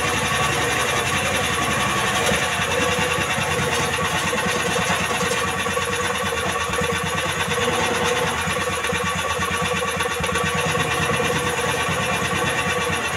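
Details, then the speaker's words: Jarwo Crown rice transplanter engine that was hard to start, after carburetor adjustment: steady, even engine beat holding constant speed without misses or hunting; running smoothly. "itulah hasil dari penyetingan atau penyetelan karburator mesin transfer"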